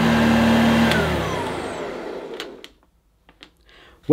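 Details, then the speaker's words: 1982 Hoover Junior Dirtsearcher U1108 upright vacuum: even, steady motor whine with no rattle or scrape, then smooth wind-down after switch-off; motor sounds healthy, no strip-down needed. "that motor sounds fine there's no need for me to remove that motor and strip it down if the motor sounds as good as that does and that motor sounds good"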